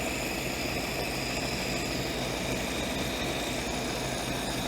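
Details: Ford-script Willys WWII army Jeep, after cleaning the blocked carburettor idle jet that had caused no idle and cutting out: steady, even idle with a smooth low rumble, no misses or stumbles; normal idle.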